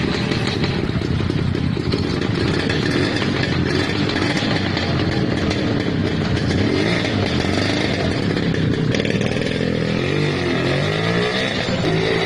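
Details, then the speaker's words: Restored Lambretta scooter, throttle being given: crisp, even two-stroke buzz with steady rhythm, no misses or knocks; runs cleanly. "Son du moteur de la Lambretta Donner de l'accélérateur à la lambretta"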